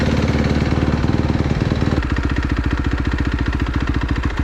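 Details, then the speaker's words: Fuel-injected Kawasaki KX250F four-stroke dirt bike after replacing the clogged fuel pump filter strainer that caused lean bogging and backfiring: even quick thumping pulses, no stumbles, pops or hunting; normal smooth idle. "It's amazing how smoothly it idles now, just because of this $9 part."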